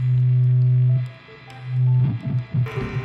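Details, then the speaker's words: Loud steady hum with uneven feedback bursts and hissy squeal from a high-gain guitar rig: neck humbucker hums when an unconnected single-coil sits next to it; height adjustment didn't help, removing the single stopped it. "То есть даже не подключенный сингл когда находится рядом с хамбайкером и у вас типа хайгейн иногда Ну гудит как решать эту тему Я без понятия"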